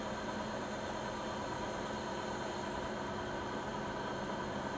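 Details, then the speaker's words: Siemens iQ300 washer (WG41A1X1TR, 1000 rpm, 9 kg per title; spoken as 10 kg) in a 13-minute spin cycle, peaking mid-cycle. Steady, even whir with no knocks. Rated 72 dB spinning, 48 dB washing; normal but not silent. "Fakat şöyle söyleyeyim, makine sıfır sessiz değil. Yani çoğu zaman geri dönüşüyor. Ben sıfır sessiz diye almıştım ama makine ses ver diye. Öyle bir durum yok yani, sıfır sessiz değil. Sıkmadayken 72 desibel sesi var."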